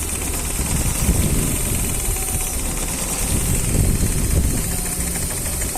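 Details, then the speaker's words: Warm engine with the oxygen sensor unplugged; the sensor only gives correct readings once hot, at about 300 degrees. It runs lumpy and uneven at idle with irregular low thumps, rough running from the disconnected oxygen sensor. "cuando el auto está caliente y hacemos la desconexión Se observa el mal funcionamiento del"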